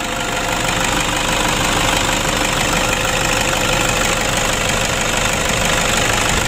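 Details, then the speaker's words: Toyota Innova diesel idling after valve adjustment with clearance set slightly loose: a light, busy clatter of about three ticks per second over combustion, a bit rough but acceptable, preferable to too tight or no clearance. "Ya kalau kita hitung-hitung ya kita penyetelan agak longgar itu memang suaranya agak kasar tapi tidak masalah teman-teman ya ketimbang terlalu rapat ataupun tidak ada celahnya begitu"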